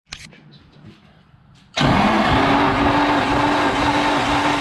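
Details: Nissan SR20DET compression test cranking: steady, even cranking about two and a half beats a second with no drops; rings judged good.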